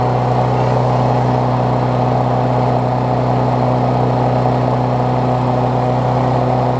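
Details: Briggs Classic engine swapped onto a Bolens push mower deck, run after fresh gas and 16 oz oil, temporary throttle: steady, even low drone at constant speed, no misses, knocks or surging; running smoothly.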